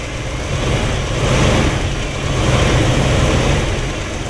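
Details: 1959 Chevrolet Bel Air with 348 V8, first start of 2018 after sitting since October 2017, choke set and warming up: deep, even burble on fast choke idle with a slight hunt, no knocks or ticks; normal warm-up idle.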